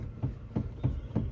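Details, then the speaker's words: 2006 Honda City ZX: dull low thuds about three a second from the front suspension under braking; car also unstable on the highway; owner heard suggestions of a bad steering rack or bushes, cause not confirmed. "जब break अगर मैं ऐसा करता हूँ, तो बहुत तेज आवाज आ रही है। मुझे पता है, नॉक नॉक।"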